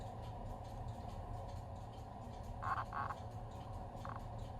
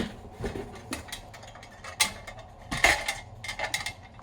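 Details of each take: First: Victoreen CD V-700 6B civil defense Geiger counter with fresh batteries: scattered clicks over quiet hiss only while inserting and removing the suspect tube, silent once fully seated; intermittent clicking, possibly a shorted Geiger tube. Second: Victoreen CDV-700 6B civil defense Geiger counter, replacement tube fitted, no check source: sharp irregular clicks about one per second from background radiation; tube working.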